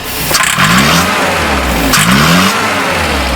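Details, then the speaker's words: 1968 Commer 2500 van: two throttle blips where revs climb hesitantly and sag before picking up; slow acceleration is fine. Timing checked okay, so it needs more fuel on acceleration. Lean bog on acceleration. "Well, that would appear to be fuel still. So it needs a greater dose of fuel upon acceleration."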